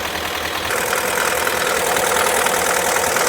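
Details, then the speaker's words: Chevrolet Cruze just after engine replacement, first start, low fuel in tank: even idle with a light quick top-end tick and steady hiss; sounds healthy. "So, this engine sounds pretty good. We're good."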